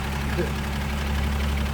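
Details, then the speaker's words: 1941 Studebaker Commander, restored 225ci straight six, rebuilt single downdraft carburetor, new coil, six-volt system, in neutral just after start: quiet, soft, even low hum, no knocks or misses, barely audible like an old sewing machine; normal idle. "Could barely hear it. Like an old sewing machine."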